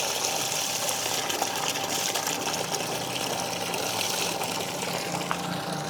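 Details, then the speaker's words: Shimizu PL-122 BIT non-automatic shallow-well pump (PP plastic body, copper-wound motor), first test run after fresh install and priming: smooth quiet motor, slow initial fill then strong, steady gush of water with no knocking; normal running at full flow. "Untuk pertama dia memang agak lama, tapi nanti kalau udah ada isinya, dia akan cepat keluarnya. Nah, teman-teman bisa lihat. Debit airnya kenceng ya."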